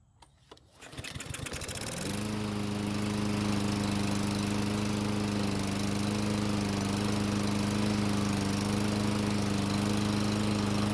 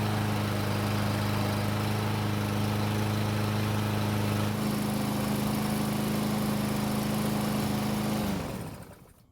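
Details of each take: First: Murray mower that won't start unless gasoline is put in the carburetor throat; cold engine catches about two seconds in and runs steadily after priming; possible auto-choke issue, clogged carburetor main jet. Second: Free Murray push mower that wouldn't start without gasoline in the carb throat; took several pulls, then steady even single-cylinder drone for eight seconds before shutoff.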